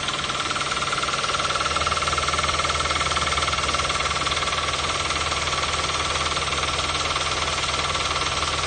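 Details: 2012 Toyota Avanza/Daihatsu Xenia, 1.5 L 3SZ-VE I4: sharp steady ticking knock about four per second over busy idle; persists with serpentine/fan belt removed, so it comes from the engine itself, exact cause unconfirmed.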